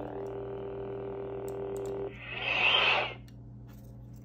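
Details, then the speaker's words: Savi's Workshop lightsaber from Galaxy's Edge after repair of a no-light fault by replacing a small 8-pin flat flex cable: steady low electric hum two seconds then rising hissy swoosh fading out; working normally. "And that is our completely fixed lightsaber, which was easier than expected."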